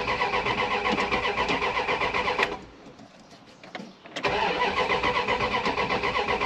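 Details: Dodge Ram 1500 project truck, towed in, first start attempt with key, battery charged; owner unsure of original problem, plans to check fuel pump. Fast even cranking about four turns a second, pause, more cranking, no firing: cranks, no start.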